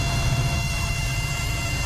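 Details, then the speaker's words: Volkswagen Polo petrol GT TSI turbo, from dashboard right side under steering, persists with key off: thin steady high-pitched electronic whine over low hum, stops when BCM connector unplugged and returns when reconnected; faulty body control module, replaced. "तो आप देख सकते हो, मैंने इसका socket loose किया जैसे ही, वैसे ही इसका आवाज़ बंद हो गया। वापस लगाता हूँ, आप देख सकते हो फिर से चालू हो गया आवाज़ आना।"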